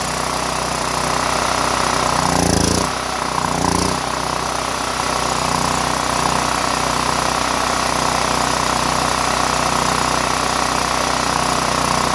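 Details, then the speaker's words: Power Mate VX generator after carburetor cleaning, with the side on/off switch now on, running on roughly eight-year-old fuel. It holds a steady, even drone after a brief dip, no surging or hunting. Normal idle. "all right that's it guys better run it probably has fuel from uh eight years ago"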